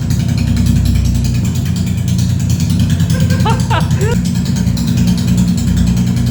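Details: Honda CB350RS first start after DIY half engine overhaul, muffler not yet fitted, rocker cover bolts left open to check oil flow to head: loud, raw open-pipe beat, steady and even without misses or knocks; normal idle.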